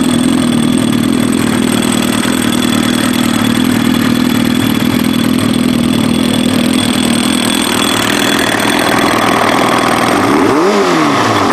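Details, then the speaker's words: Kawasaki ZX-7R four-cylinder with FCR41 flatslide carbs synced and fuel screws set one turn out: smooth, stable, even idle without hunting or misses, clean pickup on light blip; normal idle. "So you can hear how much more stable that sounds, and it's pretty clean. It's pretty clean."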